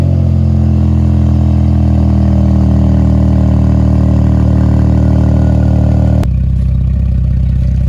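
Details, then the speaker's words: Dodge Durango after swapping in a Durango GT engine to replace one blown two years ago, at first startup. A deep, steady rumble with an even beat and no knocks or rattles, normal running. "Now I'm gonna give that our first startup. Well, I really already started it up, you know that, because you see it move, but we're gonna give y'all that first startup, let y'all hear it real quick, and just let you see we back in motion."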